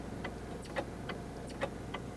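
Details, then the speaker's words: Geoprobe SP22 isolated screen and pump groundwater sampler purging: soft clicks roughly once a second, about 60 cycles a minute, over a low steady hum; a little over 450 ml flow, normal pump cycling. "the pump roughly 60 cycles a minute about one cycle a second"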